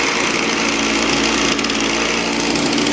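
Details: Echo two-stroke with i30 easy starter, cold start; high, buzzy note holding steady speed without stumbles or misses, started and runs fine.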